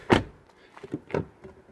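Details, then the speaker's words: 2012 BMW F20 116d that would not unlock after a battery replacement; doors and boot closed, then locked and unlocked from the remote; quick, crisp clunks as the door lock actuators throw; central locking working normally. "so close it's closed unlocked is unlocked and everything's unlocked"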